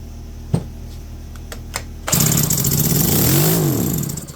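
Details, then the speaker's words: Electric-start McCulloch 510E chainsaw, revived from seized: sharp pulls, then it catches and runs, rising and falling with the throttle, even without the decompression valve in; first successful run. "That's with the decomp too. That's awesome. All right. She's a runner."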